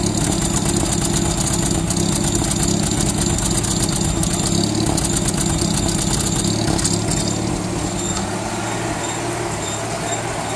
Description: Having misfire. Already done top overhaul.